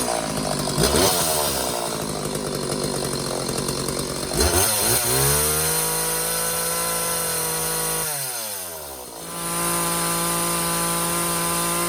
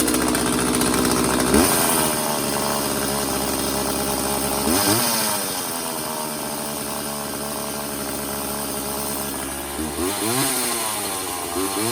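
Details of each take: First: McCulloch Silver Eagle SE2016s two-stroke chainsaw, long-neglected trash find, after idle adjusted richer: blips then holds steady high rev with clean even tone, no misfire or bogging, while checking chain oil flow; running healthy. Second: McCulloch Silver Eagle SE2016s two-stroke chainsaw, found in trash after sitting for years, freshly restarted with choke off and homemade oiled air filter: fast steady buzz off throttle that won't settle; high idle, carburetor idle adjustment needed.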